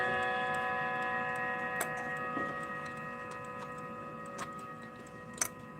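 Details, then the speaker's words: New Haven Inglewood clock, spring fully wound, case damaged by a cuckoo weight: a few faint, uneven ticks under fading chime tones; movement struggles and barely runs, cause unknown, clock oil suggested. "Then going to the back, it just doesn't want to run. Right. You see it's barely running at all."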